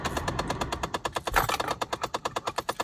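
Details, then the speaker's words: 2005–2013 Chevy Impala with rapid, even ticking at about eight or nine a second from a failing HVAC air/blend door actuator; it continues with the keys out and can drain the battery, and the fix is replacing and recalibrating the actuator. "if you have a 2005-2013 Chevy Impala you have probably heard this noise before what it is in this case is one of the actuators that goes to their units"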